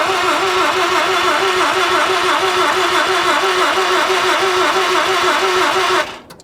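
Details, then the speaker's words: 1983 Mazda RX-7 FB barn find rotary, long stored, running on petrol fed directly to the carb: buzzy, fairly even fast pulse for about six seconds, dropping away as the throttle is released; really smooth, runs cleanly. "right ready yes let's go that's just fuel coming out of here isn't it all right listen to how smooth that is that's really smooth really smooth"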